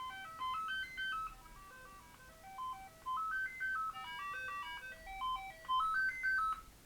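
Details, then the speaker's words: Commodore 64 breadbin ASSY 250407 with blank-screen fault, running diagnostics cartridge SID test: clean stepped beeps climb and fall in short repeating phrases, notes clear and steady; SID sound chip fine. "SID appears to be fine. That's a good thing. At least the SID is fine."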